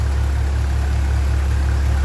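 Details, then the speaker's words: 1957 Ferguson 35 TVO tractor after valve clearance adjustment and rocker cover refit, warming up: steady even low-pitched idle, soft regular beat, no top-end tapping; quieter, thermostat housing leak seems sorted. "that does sound a lot quieter and the leak in the thermostat housing so far seems to be sorted"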